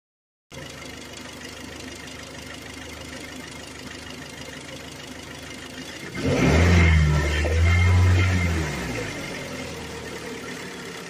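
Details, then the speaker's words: Kia Sportage 3, G4KD engine rebuilt at 116,000 km, now 144,000 km: a knock appears when warmed up and above about 2000 rpm, a dull knocking rising with revs. The source is not yet found. "появляется посторонний звук при прогреве и на оборотах в принципе выше 2000 оборотов звук вставлю в видео он конечно не так сильно передаётся как вживую но послушайте тоже вот звук усиливается"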